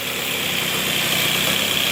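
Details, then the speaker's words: 1978 Puch moped: steady buzzy two-stroke idle with even beat and no stumbling, revs out completely, no leaks; healthy normal idle. "But yeah, she uh she sounds pretty good. Revving out completely, too. No leaking at all."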